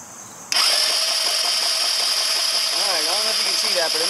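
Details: 2009 Genuine Buddy 125 scooter that won't start, compression and spark confirmed: steady high-pitched starter whir with no firing; crank no start, lack of fuel suspected.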